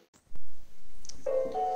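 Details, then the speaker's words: Xiaomi Roborock Xiaowa Lite robot vacuum, new out of the box, placed on its charging base: dull thump then a brief steady two-tone electronic fault chime; it showed no signal when first switched on, and the owner suspects it arrived defective. "galera infelizmente eu acho que ele veio com o problema aqui"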